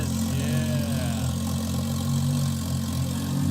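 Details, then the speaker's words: 1968 Dodge Charger with a turbo Toyota 2JZ engine, running for the first time: a steady, even low idle with a smooth unbroken rumble and no knocks or stumbles; normal idle. "so that sound does not match that Fender and I love it I absolutely love it death metal charger is running for the first time with that Toyota 2JZ motor in it"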